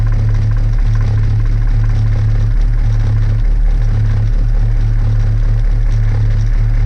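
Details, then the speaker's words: 1977 Wanderlodge FC33 bus diesel started cold at about 50°F without ether, using a temporary starter switch: a low, heavy, lumpy rough idle that then evens out as air pressure builds, with no visible smoke. "Boy, that's a rough idle. There it goes. It's evening out."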